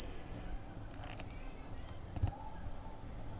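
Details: Freshly installed Arris CM2000 brushless gimbal carrying a GoPro Hero for FPV: thin, steady, very high-pitched motor whine at constant pitch in a quiet room, which is part of the setup.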